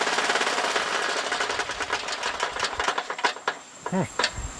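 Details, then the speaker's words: $30 used lawn mower with a little oil in it, sounding worse than when bought: ragged, uneven popping that stumbles and fades out; lean miss from air getting in at a cracked intake pipe. "this thing sounds a little raggedy honestly it didn't sound reagany when i bought it"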